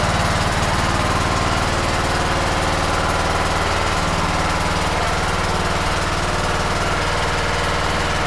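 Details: 2008 Troy-Bilt Pony riding mower single-cylinder after bent push rod replaced, not revved: steady, even putter at constant speed with no knocks or misses; running smoothly and healthy.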